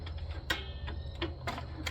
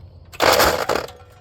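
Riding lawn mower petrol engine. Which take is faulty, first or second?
second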